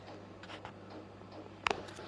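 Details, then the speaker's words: Japanese diesel heater after 20 days of use, running on setting 3 at about 27°C (80°F): low steady hum with a single sharp fuel pump tick, no rattle or labouring, no diesel smell or fumes; running normally. "but you can hear it ticking over sweetly, not a problem, no smell of diesel, no fumes or nothing"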